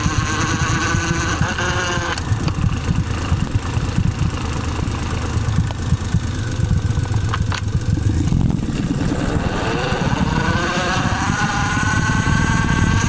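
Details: Suzuki Celerio running with a rough rubbing drone and a faint tone that climbs as revs rise; friction noise in the gearbox.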